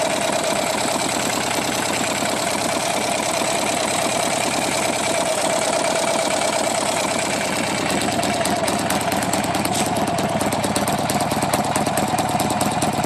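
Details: Buell XB12R V-twin at idle: fast, even ticking over a lumpy idle with a steady mid-pitched tone; ticking source in top end unclear.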